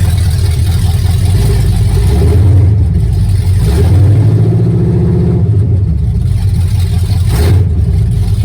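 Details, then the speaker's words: Truck with a new, healthy engine on open headers and an old transmission, creeping under its own power: a deep, steady, loud exhaust rumble with even firing and no knocks; a healthy engine. "It's an old transmission with a new, healthy motor, so we'll see how long that holds up."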